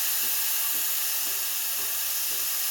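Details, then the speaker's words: Breville Barista Express BES870 steam wand purging: a steady, even high-pitched hiss of dry steam that builds to and holds full pressure. Normal steam wand operation. "it'll get stronger there we go that's full pressure so i'm gonna turn it off"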